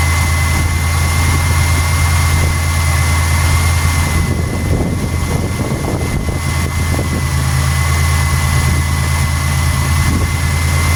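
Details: 1991 Buick LeSabre being diagnosed for code 41, just after the cam sensor wiring was reconnected: a steady, even idle right after start-up with no knocks or ticks. It runs clean.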